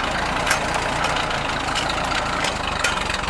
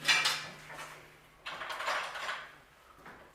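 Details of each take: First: Rebuilt Ford tractor just started via ignition and button, auxiliary in standard range, idling without throttle: steady idle, strong, no sputtering, popping or backfiring as before the rebuild. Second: Freshly rebuilt Ford tractor with brand-new carburetor, fuel turned on, first start attempt: short sluggish cranking bursts fading within a second or two without catching; dead battery, charger then hooked up.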